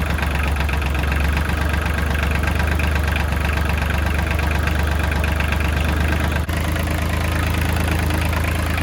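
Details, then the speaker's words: Kubota L3000DT diesel tractor with good used replacement engine, fuel line bypassed straight to pump: even, steady diesel clatter at constant idle, no misses or knocks; engine runs smooth and healthy. "Sounds healthy."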